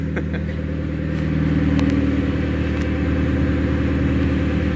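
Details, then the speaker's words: Mazdaspeed NB Miata just after installing a Walbro 255 HP fuel pump; started right up, steady even engine hum with no whine from the new pump; engine runs cleanly, normal running. "there that started like right up and this is a walbro 255 HP pump and I don't hear no whining or anything sounds good to me"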